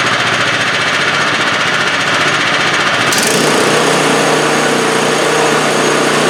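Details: 2015 MTD snowblower small engine, brought in for surging, after snugging the crankcase vent (PCV) hose: loud, even engine clatter holding steady speed without hunting; normal steady running.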